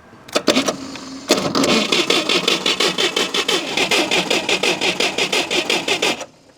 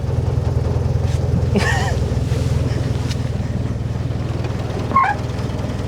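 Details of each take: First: Modified UAZ 469 revived after sitting a long time, cranking with temporary wiring; starter labours slowly in uneven chugs without firing, weak spark; slow cranking, suspected poor connection at the main breaker. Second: Modified UAZ 469, long stored, first start with ignition timing only roughly set and choke not fully pulled; quiet, even idle pulse about three beats a second with no knocks or misses; runs smooth; normal idle.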